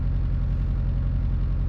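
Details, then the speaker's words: High-power Mitsubishi Evo IX started cold (30° outside) and idling before full warm-up: an uneven, lumpy beat with a recurring dropped pulse. Cylinder 3 is running 300–350° cooler than the others; moving its coil pack did not move the misfire. Misfire at idle. "all right I can feel our misfire starting to come around all right looks like cylinder 3 is starting to drop in temperature again pretty dramatically"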